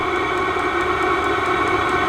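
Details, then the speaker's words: Vevor diesel heater turned up to maximum: steady high blower whirr like a turbine spooling up, with fuel pump ticking quicker underneath; exhaust very hot. Normal running at maximum output. "I'm going to go all the way to Max you can hear the fuel pump start to tick quicker it's like a turbine spooling up"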